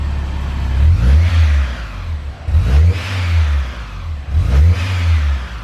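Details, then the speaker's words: Supercharged car (Kraftwerks kit) after repairs to cure engine noise and coolant flush: three clean throttle blips about two seconds apart, deep mellow exhaust with faint blower whir; engine revs freely and sounds healthy. "louder from the blower the blower makes more noise in the exhaust yeah that's pretty mellow"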